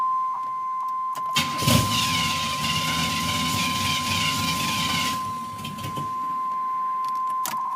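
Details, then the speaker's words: 1988 Camaro with 1993 LT1, new plugs, wires, fuel filter and pump: engine catches and runs about four seconds then dies unless gas is held, over a steady chime; owner first suspected Optispark, cause was a dirty IAC valve. Stalling after start. "if I hold the gas it work if I let go of the [Music] gas it die every single time"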